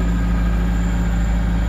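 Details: 2002 Kia Visto after revving: steady, deep drone held at elevated idle that never settles, stable in D but rising again; idle fault suspected in the dirty or faulty idle speed control (ISC) valve.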